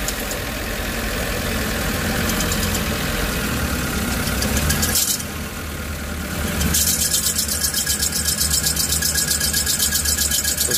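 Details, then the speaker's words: Suzuki APV Arena idling with AC on: shrill high squeal swelling as the steering is turned, gone when AC is off. "ada bunyi pada saat belok dan pada saat AC nyala kita cek dulu apa masalahnya"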